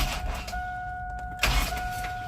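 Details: 2002 Chevy Astro van 4.3 with a new fuel pump and fuel filter, primed three times before the tank is raised: a steady whine hums about a second, stops, then returns as the key is cycled; normal fuel pump prime.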